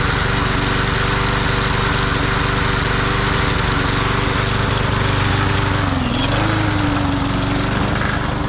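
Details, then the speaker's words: Curbside-salvaged lawn mower running with an uneven single-cylinder drone and a brief sag. It sounds like it is running rich; clogged carb jets are suspected, and the carb needs cleaning. "yeah it's it's running rich so we got to clean the carb out"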